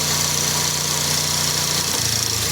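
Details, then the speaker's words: Toyota Vios dual VVT-i, steady even idle with an airy hiss, after an alternator and water pump replacement and a fix for a grinding noise: tone shifts slightly as the AC compressor cuts out, with no grinding, showing correct clearance. "Walang ingay siya pag namatay yung compressor. Ibig sabihin yung clearance niya tama."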